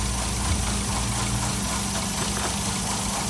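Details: 2007 Toyota Yaris rough idle with multiple misfires and check engine light: uneven lumpy idle with stumbles, no change when a coil pack is swapped; spark plugs and four coil packs planned.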